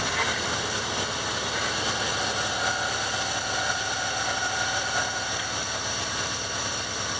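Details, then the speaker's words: 2001 Dodge Ram 1500 5.9L idling: harsh grinding from the belt drive with faint chirps, grinding worse when left running warm. Idler pulley bearings failing but judged not the whole source of the noise. "but if I let it sit here it uh it does a lot of a lot of grinding once it starts warm I hear it"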